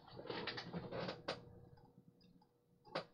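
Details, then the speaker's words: Vintage laptop hard drive booting Windows 98: sharp, irregular clicks over a faint steady hum, click of death, drive believed dead; noise later stopped. "Ooh, that hard drive doesn't sound so healthy. Eee, that doesn't sound good at all. I can hear it clicking. Guys, I think this hard drive is toast."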